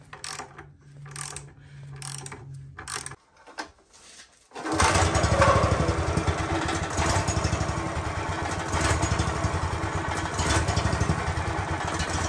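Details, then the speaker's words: Honda engine on a wacker plate compactor that had been seized: a few sputtery bursts, then a steady, even thumping run with no grinding or misses; running healthy. "i have to say for an engine that was seized that is probably one of us i love a honda you know but that has to be one of the sweetest hondas i've heard running"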